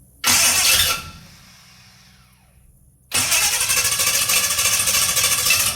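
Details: 1969 Chevrolet C10 with a 396 big block that had sat for roughly 20 to 28 years, after setting the timing and wiring up the ignition. The engine catches in a short burst, then runs on with a steady roar. Runs well; high mileage, with a big leak noted.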